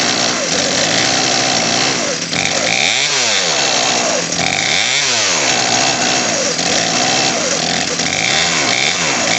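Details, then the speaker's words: Craftsman 18in 40cc chainsaw (358.350810), new HIPA carburetor, idle screw turned up; revs surge and sag with burbling low-end note; low-speed mixture too rich, L screw (nearest engine) turned slightly clockwise. "all right so the low end is too rich on this that's the one closest to the engine we're going to turn that one clockwise just slightly you'll hear their RPM come up here them come up"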